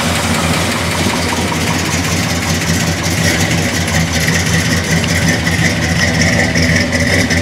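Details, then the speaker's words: 1969 Chevelle Malibu with 350 crate V8, 350 Turbo transmission, Vintage Air: deep even burble, steady and strong, no knocks or misses; normal idle and rev. "Hello, we're going to fire up the engine in our 1969 Malibu here that we have. I'll go ahead and start it up so you guys can hear it, see how good it runs. 350 crate motor in here, guys."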